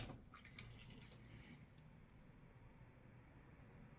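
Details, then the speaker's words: Free gaming PC with Gigabyte Z97X-Gaming 7 motherboard and Cooler Master AIO cooler: faint irregular trickling gurgle with low watery burbles as liquid moves in the loop while the PC repeatedly switches off, showing CO code. "So you can hear the liquid in this when that's switching on and off."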